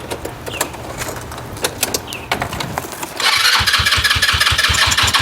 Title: Chinese scooter wont start